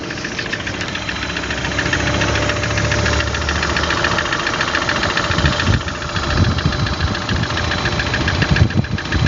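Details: Engine knock: irregular knocking rattles through a rough, unsteady idle; a clear knock, source not identified.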